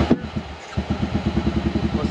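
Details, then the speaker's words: KRX1000 cranked at El Mirage: starter turns the engine slowly with a lumpy, uneven beat; one cylinder sounds off, suspected weak cylinder. "yeah I think one of the cylinders how it cranks it sounds weird"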